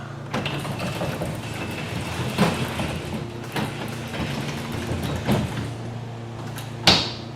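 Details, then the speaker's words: Garage door number two lifted manually with the opener released after hinge and spring maintenance: smooth roll with soft thumps as sections pass the track, final clack at top, no hinge creaking; quiet operation. "pretty good all right let's run it back down we'll go from the other side nothing perfect no no creaking whatsoever"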